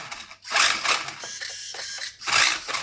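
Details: Tamiya TL01 Ford Focus WRC RC car after fixing an intermittent fault caused by a spread battery connector: short bursts of high whirring as the motor is throttled on and off, smooth and steady each time. Running normally.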